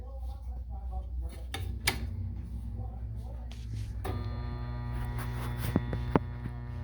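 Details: Furnace inducer (induction) fan motor powered on for a test: a steady low electrical hum and grinding with no whir of the fan spinning up; the motor seems not to turn, so a new inducer fan may be needed.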